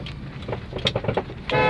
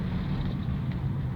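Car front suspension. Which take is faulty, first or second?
first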